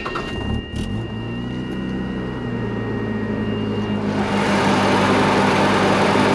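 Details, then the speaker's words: 1979-85 first-gen Mazda RX-7 rotary, replacement clutch fan, cold start: engine idles evenly with a steady fan roar swelling after a few seconds as the cold clutch grabs; normal engagement, perhaps more engaged than usual. "so a good clutch fan when you turn it on when it's cold it'll wo for a minute and then and then stop and of course when it's warm it should just be blowing air"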